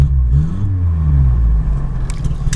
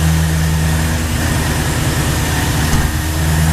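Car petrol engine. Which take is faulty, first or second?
second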